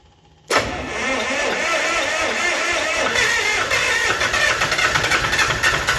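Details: Lister ST3 three-cylinder air-cooled diesel on an old sewer jetter, cranked with decompression then valves closed: silence, then catches at once and settles into an even, steady diesel clatter; clean normal cold start.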